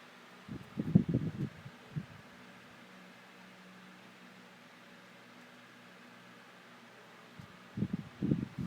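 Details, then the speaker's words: 2002 Windmere 12-inch oscillating table fan (WFD 1200) after servicing and repair, oscillating on medium: soft even hum with no rattle or ticking; runs smoothly, much nicer than before. "And that sounds much nicer now. Musical breeze."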